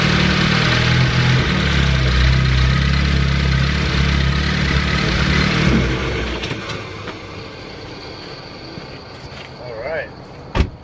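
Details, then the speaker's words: Ford Focus ST, first start of a new engine built with a Speed Performance pop-n-drop kit, after priming oil with plugs unplugged. Loud, lumpy running with an unsteady pulse, then shut down after seconds; rough, grouchy running, cause unknown. "perfect very successful first start you got yeah it was like it was acting weird huh it was acting weird yeah"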